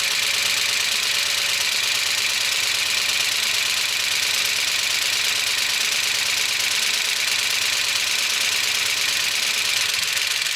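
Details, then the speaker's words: 1976 Chevy C30 dually, freshly swapped Gen 6 454 big block; sharp fast ticking chatter across the top at idle despite over 60 psi oil pressure and revving—no oil reaching the top end, dry lifters clattering from oil starvation. "Well, as you can hear, it's not sounding good. It's been a minute or two. I've tried revving up the engine. There's nothing. No oil is getting up to the top. So, I don't know. I don't know what else it could possibly be. These things are bone dry. And that's why it's so clicky."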